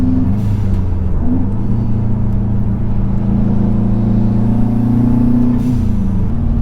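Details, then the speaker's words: Subaru WRX turbo on morning commute after fix, owner earlier feared blown motor after redline and bogging: deep even engine note climbing smoothly under load into boost, no stumble or bog; normal acceleration. "Eat my breakfast. Hit a little boost. I haven't been able to do this in a long time."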